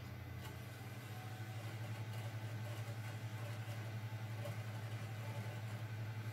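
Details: Xbox 360 disc drive after fixing a stuck, grinding tray by realigning the pin with the tray: quiet even hum with soft steady whir, no scraping or clicking, while a game loads; normal.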